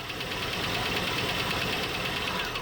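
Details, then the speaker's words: 1976 postal Jeep parked in woods for years, idling with no oil pressure on the gauge: a rough idle with a sharp tapping knock on each turn. Rod knock from worn bearings is suspected. Knocking at idle. "Beginning to think we might be working with a rod knock. And that's where all of our oil pressure is going, you know, because the bearing clearance is so big."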